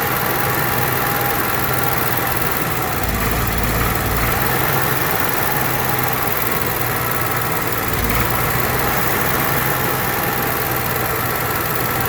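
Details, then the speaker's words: Onan Marquis Gold 5500 generator after a full carburetor teardown and cleaning, and the mixture screw set about three turns off the seat instead of two: it holds one steady engine note with no hunting; running smoothly, surging fixed. "don't that sound good try it again all right so we got it took care of"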